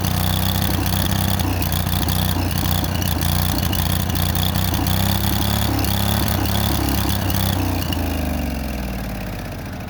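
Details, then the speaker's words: Free late-1990s Snapper SR1642 riding mower, throttle linkage fixed and more fuel given because it seemed lean: small engine chugs unevenly, hunting and stumbling, then fades out; rough running, cause unclear. "it still seems like it's running lean uh did that and it uh still doesn't run want to run like it's supposed to"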